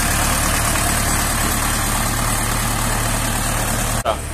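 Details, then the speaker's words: Rebuilt tractor diesel idling evenly after fixing a sleeve set too low that pushed compression into the coolant; oil pressure 5.5 at 1200 rpm, coolant no longer rising, temperature OK, healthy. Smooth drone, no knocks or misses. "ciśnienie ma 5,5 przy obrotach 1200 także jest okej zdrowy"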